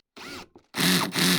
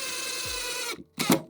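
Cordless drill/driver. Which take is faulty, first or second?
first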